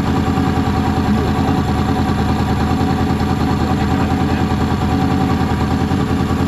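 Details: Warm Honda VFR800 VTEC V4 at idle after valve and timing chain work, sounding lumpy and uneven with stumbling pulses: throttle bodies badly out of synchronization; runs smoothly once synchronized.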